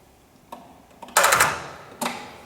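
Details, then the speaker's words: Ford 5610 tractor, believed 1983, run on golf cart batteries with extension-cord cables, smoke seen at battery terminal: sharp single clicks and brief ticks, engine never turns; starter clicking without cranking, bad connection suspected. "Got a bad connection."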